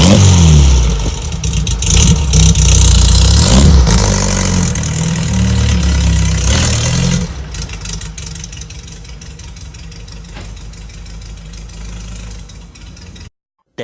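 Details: 1963 VW Bug flat-four with new stainless steel Vintage Speed (Japan) exhaust: starts, deep throaty barks through several quick revs, then settles to a steady, even idle; normal start and revving, healthy engine and exhaust.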